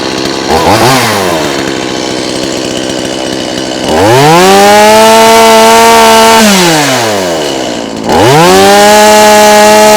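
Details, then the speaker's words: Stihl MS180C chainsaw after no-start repair, chain reinstalled correctly and oiler confirmed oiling: saw snaps up twice to a clean high scream, holds steady, drops back evenly to idle; normal running. "We got the oiler oiling. We got it running great. This saw is ready to go back."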